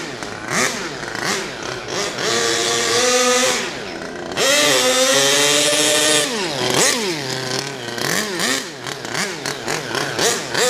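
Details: HPI Savage Octane RC truck, petrol two-stroke, after leaning out the rich low end; throttle linkage not yet giving full carburetor throttle: high buzz sweeps cleanly up and down with no stumbling or bogging; running well.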